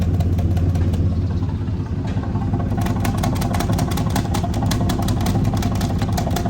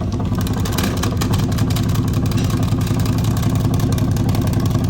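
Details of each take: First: 2004 Ford F-150 5.4L, ignition timing verified correct on a scope, at idle at the tailpipe: steady, even beat with only light flutter at the outlet; this bank is healthy, while the other side's hard paper suck makes the owner suspect a bad valve. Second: 2004 Ford F150 5.4L idling after warm-up with timing checked correct on scope: regular puff two or three times a second at tailpipe; owner suspects a bad valve, compression and leak-down tests planned.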